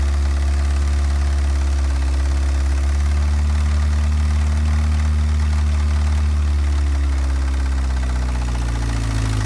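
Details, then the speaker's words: A 1984 Pontiac Fiero is restarted after a Seafoam soak of the cylinders to free the rings and reduce blow-by. Heavy, slow, uneven cranking at about three to four turns a second rough-catches and picks up. The owner suspects a hard-working starter rather than a low battery. "so let's see where it goes right I honestly think that starter is cranking as hard as it can not that the battery's low"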